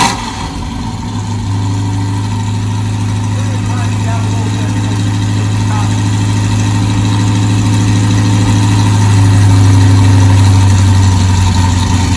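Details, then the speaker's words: V8 truck fitted with a Holley mid-mount setup, a new custom hydraulic power steering hose and a freshly hooked-up fuel pump, heard out back. It cranks, catches at once and settles into a smooth, even idle with a steady beat; sounds healthy. "we're going to fire this truck off get it to idle good and then take you out back so you can listen to it"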